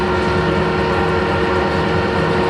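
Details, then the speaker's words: Harrison L6 12-inch lathe, after clutch repair, at 1,000 rpm: steady even drive hum, no slipping, chatter or grinding; clutch engages and drives cleanly, though a plate with elongated holes rattles. "that's brilliant. That's at 1,000 RPM right now."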